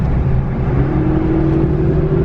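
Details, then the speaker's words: Stock Cummins Dodge Ram pulling a grade while towing, fan loudly engaged: deep diesel drone with a steady whine climbing in pitch through the pull, cause unclear. "Hear that whining? I don't know. Is that normal to have all that whining?"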